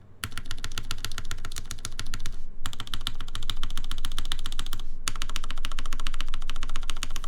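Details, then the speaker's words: gaff.60 HHKB keyboard, aluminium plate, GMK keycaps, Cherry MX Black housings with UHMWPE stems, lubed screw-in Durock stabilizers: bursts of modifier key presses with a clacky rattle on one side; stabilizer unexpectedly rattling, owner plans to relube. "Oh, this is rattling. What the? It was not rattling earlier. It's rattling on this side."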